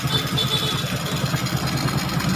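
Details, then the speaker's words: Honda XRM125 after top-end overhaul, first start, very quiet steady putter at idle with no tapping or rattles, oil flow being checked; normal idle. "So ayan, umandar na, napakatahimik."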